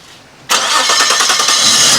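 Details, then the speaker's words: Nissan Skyline R34 (RB25), first start after sitting five years, with a new fuel pump: the engine catches abruptly and roars with a faint high squeak; the owner thinks a cold-start valve causes it, a common RB25 issue, unconfirmed. "I think it does something to do something to help with cold starts, and I think that's what was a squeaking noise before, and it's a common issue RB25s, I think."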